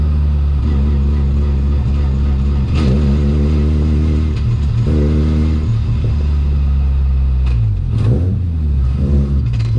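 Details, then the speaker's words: BMW E36 ute with a Mazda 13B rotary, driven under load. A rough, uneven low-end note that stumbles as revs drop: a low-rpm misfire and it won't idle properly; owner suspects plugs fouled by long idling and overfuelling. "As you can hear, it's got like a misfire down low, so I've got to sort that out, and it won't really idle properly at the moment, so that's a little bit weird"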